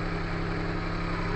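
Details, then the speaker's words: Perodua Kancil after a carburettor change: steady low idle hum with an even beat and no ticking or knocking; the engine sounds smooth and healthy at normal idle. "Tak dengar apa, tak dengar knocking kan. Tak ada knocking apa semua, tak ada."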